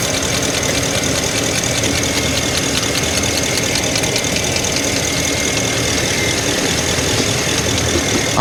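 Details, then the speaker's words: 2012 Ford F350 6.2L gas V8 at idle, code P06B6 knock sensor performance: uneven ticking snap and sharp crackle as ignition coils, sprayed with water, arc and short to the block, suspected of creating false knock noise. "these coils are shorting to the block and I believe that's what's causing the knocking because it's shorting to the Block it's creating excessive noise on the Block and it's picking it up as a the knock"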